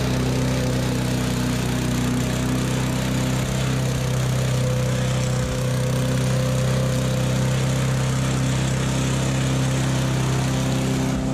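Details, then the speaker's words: $20 used push mower, spark plug found extremely loose, running after fix-up: steady even drone from small single-cylinder engine at constant speed, no knocks or misses; runs smooth and healthy. "She runs. Wow. Mint. That was easy."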